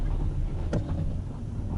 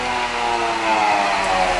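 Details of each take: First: Toyota Esquire (Noah ZRR80) after replacing the humming CVT with a used contract unit, road test on icy road: low steady rumble, no whine, hum or clunks, accelerates quickly without jerks — normal CVT operation. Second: Toyota Esquire (Noah ZRR80) minivan on lift, wheels driven: steady layered gear hum sinking in pitch as wheels slow, complaint of hum at speed; diagnosed as worn CVT reduction gear, transmission to be replaced.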